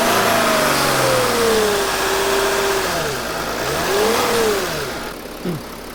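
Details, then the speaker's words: 2007-2010 Mercedes Sprinter NCV3 after reseating the separated turbo resonator and intercooler pipes, air box refitted, test run: clean turbo whistle rising and falling with revs, no escaping-air hiss. "sounds significantly better we went to look at it it sounded like there was a lot of air escaping and I think that pushing the resonator pieces together really helped quiet it down and bring out more engine noise and less turbo noise now there's just a turbo whistle versus a lot of air escaping"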